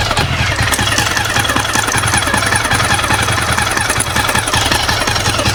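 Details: Jawa motorcycle engine: busy clattery running with an uneven knock about two or three times a second; abnormal engine noise, cause unknown.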